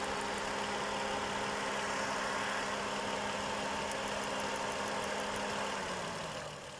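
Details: 2007–2008 Lexus IS300 at idle: steady hum with a faint uneven beat about four times a second, a suspected slight spark-plug misfire that is hard to hear at high RPM; not confirmed.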